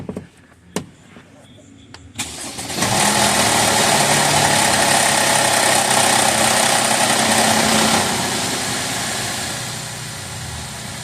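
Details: 2013 Mercedes ML350 naturally aspirated, extended crank then catch with busy metallic rattle at start-up; both banks' intake cam timing codes returned; cam phaser rattle attributed to low oil from poor maintenance.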